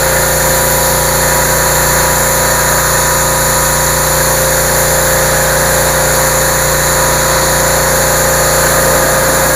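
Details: Generac 2800 PSI 2.4 GPM residential gas pressure washer, small single-cylinder engine warm, restarted with choke after bleeding air from the pump, holds a steady, even buzz at constant speed, no surging, knocking or misfires; normal running.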